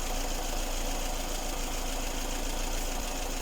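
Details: Lada Kalina petrol engine, hot, after belt sprayed with silicone lubricant to cure whistling: steady low idle rumble with no belt squeal or whistle; normal.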